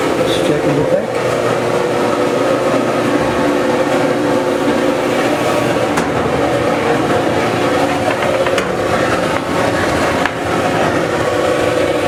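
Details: Maytag Dependable Care Plus dryer after the belt was refitted into its groove to stop a scraping noise: steady drum rumble over a low motor hum, even throughout with no squeal or thumping. Running normally.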